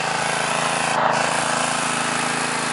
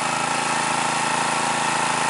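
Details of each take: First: New, stock Harbor Freight Predator 212cc OHV engine, Ruixing carb, 87 octane fuel, warmed up, choke fully off, mid-range throttle, about 40–45°F and 1200 ft: a steady buzzy run with a few pops; going away at half choke suggests a lean mixture. Engine popping. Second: New stock Harbor Freight Predator 212cc OHV engine, EPA model, stock Ruixing carb, 87 octane, mid-range speed, about 40–45°F at 1200 ft: steady even putter without pops once choke set halfway; smooth running with richer mixture.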